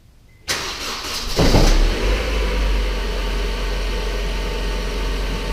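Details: Honda Civic 1.8L just after new spark plugs and coil packs were installed: short crank, quick catch with a brief flare, then a smooth, steady idle with no misfire or ticking; a normal, healthy start.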